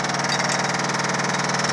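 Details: Samsung VTR steam washer on spin cycle, rear cover off: fast, even banging about nine times a second as the drum slams around because a small plastic tub mount came off.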